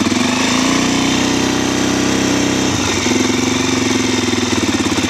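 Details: Suzuki DRZ400 after engine swap, cold start at about 25°F on choke: single-cylinder thump holds a quick, even idle with no misses or odd knocks; healthy cold running.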